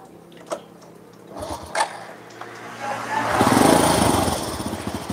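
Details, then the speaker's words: Honda Supra motorcycle after engine rebuild, spark plug found not tightened: quiet with a few clacks, then revs rise and sag unevenly; unstable running, carburettor flooding, throttle not steady. "kadang motor itu kalau dibongkar langsung kelihatannya normal Bos tapi mbuh melak nih makanya dites jalan dulu ora stabil karbone banjir"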